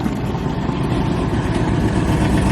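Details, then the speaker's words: Dodge Charger R/T V8, first start on E85 fuel after tune: low, rough puffing exhaust note at idle just after startup, caused by an exhaust leak in the headers. "First start on E85. Sheesh. That sound that you guys heard was an exhaust leak in the headers."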